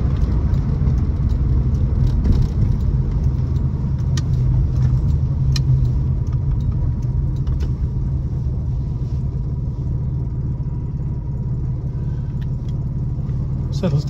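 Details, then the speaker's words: 1961 Jaguar Mark II 2.4 six-cylinder, manual overdrive, warm after a drive: smooth, even low rumble with a steady beat idling at 700–800 rpm, no knocks or ticks; healthy idle. "down to a nice idle at uh 700 RPM 800 RPM and it's just yeah just a pleasant Place Pleasant cards Drive Pleasant place to be"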